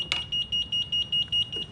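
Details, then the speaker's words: Rascal Conquest mobility scooter, batteries connected, key just turned on: rapid high-pitched electronic beeping, about five a second, giving a five-flash neutral code; the scooter is in neutral (freewheel) and will not drive until taken out of neutral. "So, I have power and it's beeping at me. It's giving me a five flash code. That is a neutral flash code. So the chair is in neutral."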